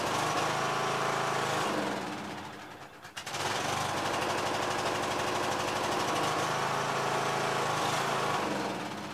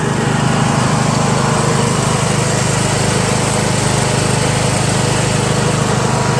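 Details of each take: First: Yard Machines MTD tractor with 20HP Briggs engine and CVT, after a magneto bypass for no spark, started with a battery charger: chugs about three beats a second, sags and nearly dies twice; runs only on choke. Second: Yard Machines MTD lawn tractor, 20HP Briggs single-cylinder OHV, CVT, test ride after magneto bypass and deck repair, running low on fuel: steady, even drone under load, no misses, knocks or surging; smooth, good acceleration.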